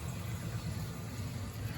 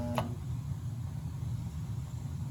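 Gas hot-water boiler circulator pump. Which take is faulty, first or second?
second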